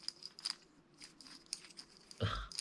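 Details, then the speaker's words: Brushed motor removed from a Team C Jekyll RC buggy, spun by hand before brushless conversion: dry scattered crunches and scratchy clicks instead of smooth whirr; rough, gritty, worn-out motor. "Last video we did the Buggy. I took the motor out and you can hear it's horrible."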